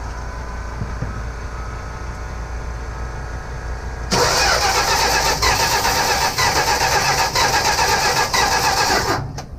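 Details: 1965 Plymouth Barracuda, sat about 3–5 years: starter spins hard and rhythmically for five seconds but the engine never catches, crank no start; key switch flickers, a short or odd wiring suspected, unconfirmed.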